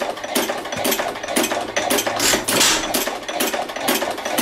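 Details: 2.5 hp hit-and-miss engine, choked and lubed before running: sharp, evenly spaced firing pops with quiet coasting gaps, a steady hit-and-miss rhythm giving smoke rings; normal hit-and-miss running.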